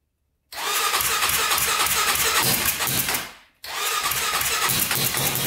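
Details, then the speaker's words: 1999 Honda 400EX turbocharged quad, 198 main jet fitted: engine fires with an uneven wandering rasp, dies briefly and restarts; rough running, possibly because the carburetor float bowl drain wasn't referenced to boost and air was pushing out of the carburetor. "all right i forgot to plug off the drain bolt for the carburetor so that needs to be referenced to boost as well so i just did that"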